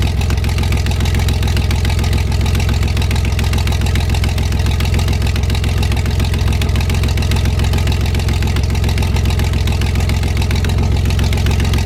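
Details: 1973 GMC 432 cu in V6, first run after about 5 years sitting: smooth even idle, about three and a half beats a second, no miss or knock; no smoke once warmed up; normal idle.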